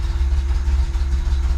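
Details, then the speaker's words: VW bus, first cold start since the mixture screw was adjusted, battery reconnected, a few throttle pumps: deep, slow, lumpy idle sitting low when cold; idle was then raised a smidge to keep it running. "Oh, she's a little cold. A little low on the idle side when it's cold. So I gave it a little more on the idle, just a smidge to keep it running."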